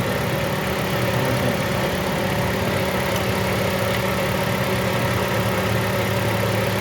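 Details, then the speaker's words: Toyota Corolla that died on the road from a wiring short, now restarted and checked for misfire; steady idle hum with slightly uneven, stumbling beat as one cylinder misses from a failing ignition coil. "अब हम इसको check करने लगे क्या मसला ए रहा है missing का"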